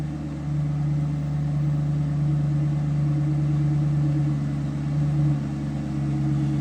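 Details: 2005 Cadillac XLR retractable hardtop, V8 at idle: a smooth, even low rumble with a steady pitch and no knocks or misses; idling just as it should.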